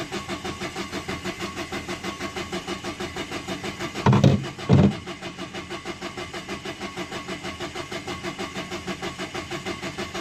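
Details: 2011 Dacia Sandero Stepway, 1.5 dCi diesel, with a rail pressure sensor fault code. Slow, even cranking beats of about ninety-five a minute for ten seconds, never catching: cranks, no start. The cause was still unknown and the car was towed.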